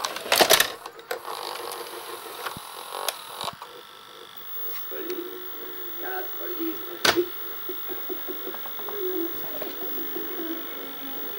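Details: Panasonic NV-SD430 VHS VCR (Super Drive, Z mechanism), a garage sale find: the tape mechanism is noisy, with irregular clicks and snaps over a thin whirring rattle. Cause unknown; the unit has not yet been disassembled.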